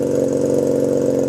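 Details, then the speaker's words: 1997 Honda Rebel 250, cold start with choke on: loud, slightly uneven idle with quick firing patter through open exhaust; rough cold-blooded idle. "it's a little bit on the cold blooded side my front brakes are bent so start I have the choke on around here"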